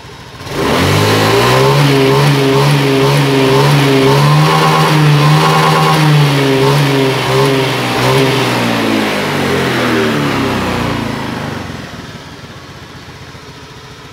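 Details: Honda Beat FI fuel-injected scooter that sometimes dies suddenly after 1-2 km and restarts, injector suspected dirty from tank debris through damaged filter; engine spins up cleanly, holds smooth even rev, drops back without stumble or misfire; normal free revving.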